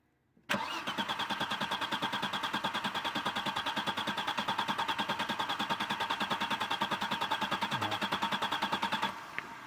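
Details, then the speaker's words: 1996 Audi 80 Coupe 2.6 V6, parked 15 years: steady, even cranking for about eight seconds that never catches. The fuel pump can't be heard, the battery light flickers, the fuse is fine and the pump relay is suspected; no fuel delivery. "okay we've definitely got a fuel delivery problem here with us 10 there's no fee all coming to the engine because we can't hear the fuel pump working"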